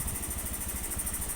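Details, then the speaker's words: First-generation Honda Beat FI single-cylinder scooter that was hard to start and stalled when cold, after fitting a good injector: injector reads 2.6 ms at idle, the standard value; steady, even putter with no stumbles; idling properly. "langsam juga baik gitu loh jadi seperti itu ya gambaran ya"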